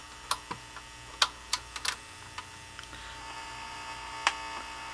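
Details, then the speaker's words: Emerson mini AM/FM cassette boombox in tape mode: a faint steady hum and handling clicks, no music. The tape earlier played slow and draggy; the owner suspects a lost connection, cleaning or a belt. The radio works fine. "now it was playing a while ago i don't know why i quit make sure i'm on tape"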